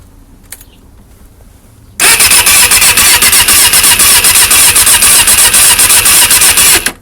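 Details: Katana motorcycle that won't start: the starter churns steadily at about four beats a second for five seconds with no firing. Crank, no start, cured by replacing the worn spark plugs.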